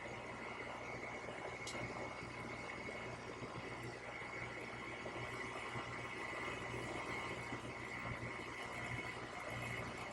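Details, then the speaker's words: AC condenser running smoothly with an even hum and steady high tone after a weak 45/7.5 µF dual run capacitor (reading 0/7.3) was found and the hard start kit disconnected; the compressor now runs, not just the fan. "Unlike before where only the fan came on. As you can see, you hear the compressor, so we are good to go."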